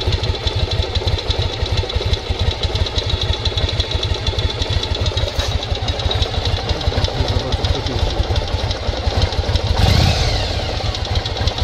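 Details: 1995 Yamaha Virago XV750 V-twin idling with a lumpy beat and a light knock, which seems to come from the front of the engine; phone held very close, so it is louder than in person; owner unsure if this is normal.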